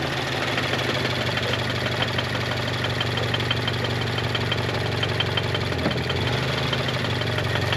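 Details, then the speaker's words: Toyota GT86 engine knocking badly at idle with a rapid metallic knock every turn; engine considered dead and due for replacement. "It definitely sounds in the four. Definitely sounds like it's knocking. Yeah, that's definitely this one."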